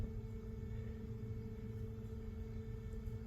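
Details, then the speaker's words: A steady electric hum at a fixed pitch. The ECU-controlled electric water pump is supposed to come on at 60 degrees but runs constantly; a new tune is being loaded to fix it. "that's the electric water pump there uh Scott set it all up for me uh supposed to come on at 60 degrees and it's running all the time"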